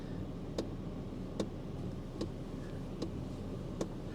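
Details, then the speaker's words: 2007 GMC Canyon, 119,000 miles, straight six at idle, not started in a while: faint sharp clicks about every 0.8 seconds from the dash, unrelated to revs; suspected blend door actuator popping or fan. "Is that the fan or is that a blend door that's just kind of trying to open and close? Can you hear it?"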